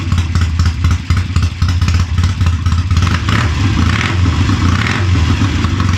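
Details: Triumph Tiger 90 350 motorcycle with electronic ignition after rebuild, before strobe timing: revs surge and sag with a loose, irregular clattery beat; ignition timing out of adjustment.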